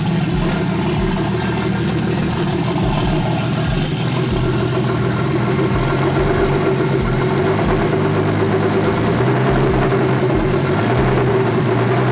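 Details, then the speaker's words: S52 turbo BMW E30, downpipes with no exhaust, old gas, after suspected bad ECU-to-engine-harness connection: loud, uneven open-pipe idle with lumpy, stumbling rhythm and wavering pitch; running rough, cause not pinned down. "man it's running rough it shoots we should still run but it's not ready"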